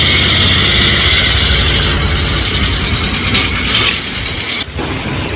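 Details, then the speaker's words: Bajaj Pulsar 220: a harsh metallic clatter rides over a steady single-cylinder idle and does not let up; abnormal engine noise, source unclear. "इस bike में बहुत ही घटिया आवाज दे रहा है।"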